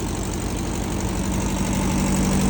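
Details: 1970s VW sand rail air-cooled flat-four, running after fixing too-tight valve lash, dirty carb, wiring and timing: steady, even idle with low burble, no misses or stumbles; running normally.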